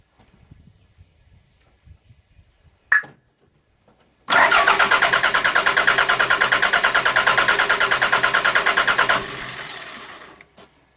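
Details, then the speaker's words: 1992 Toyota MR2 with a start-then-stall fault, fuel pressure 42 psi: the starter cranks briefly, then the engine catches and idles steadily and evenly for about five seconds before shutting off. "so we had a problem with the multimeter the engine should keep running got fuel pressure 42 psi"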